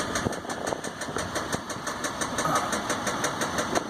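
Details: 2015 Dodge EcoDiesel with 18k miles, knock began before second oil change, no check engine light, gauges and oil pressure normal, truck has no power and shakes: sharp metallic knocks three or four a second over quiet diesel idle, cause unknown.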